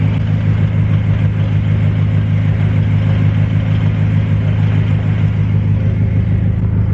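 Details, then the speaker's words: BMW F10 M5 at idle: light, even rattle pulsing about twice a second under the engine note; owner says clutch rattle is common on M5s, louder on cold starts, quieter fully warm. Clutch rattle. "know if you guys can really hear that but the car does have clutch rattle uh this is a thing that i looked online and unfortunately you know like i said it's just something that comes with the m5s"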